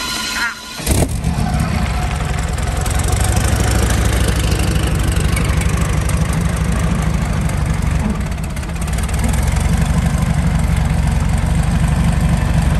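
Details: Meteor Interceptor V12 (Centurion tank engine), warm idle at 540 rpm: deep steady rumble, no knocks or misses; normal.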